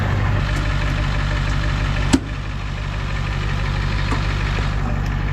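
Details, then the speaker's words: Diesel engine started after refueling; it had been low on diesel with an air pocket in the fuel hose: steady low idle with even rhythmic clatter and one brief bang; running smoothly and healthy. "so it was just low on diesel I had an air pocket in the in the hose down there probably right up well that's one thing out of the way"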